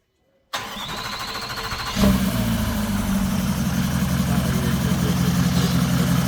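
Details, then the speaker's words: Range Rover TDV8 4.4 diesel V8 starting after a complete engine overhaul: brief starter whirr, engine catches cleanly and settles into a steady, even diesel idle with no knocks. "That's the Range Rover tdv8 4.4. We are doing the engine overhaul. The car is okay now. The engine is running."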